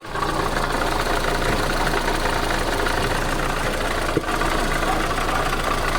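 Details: VAZ 8-valve engine at idle: hard metallic tapping riding on the firing beat; a clicking knock whose cause is not clear.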